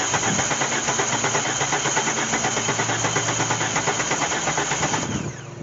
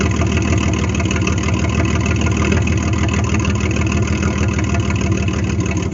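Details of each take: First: 1998 GMC Sonoma 4.3L V6, dead for years in a swamp, cranked via a remote starter trigger: starter spins the engine steadily at roughly three pulses a second but it never fires; cranks but no start. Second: 1998 GMC Sonoma 4.3-litre V6, revived after sitting for years in swamp grass: low, steady rumble holding an even idle with no misses or knocks; the engine runs fine.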